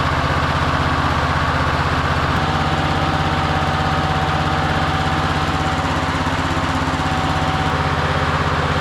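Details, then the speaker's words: Victa Briggs & Stratton push mower, sitting about two years, just started, throttle lever broken: steady putter around two hundred beats a minute, slightly uneven and muffled; owner thinks it sounds like the choke is on. "All right. It just like sounds like it's got a choke on or something."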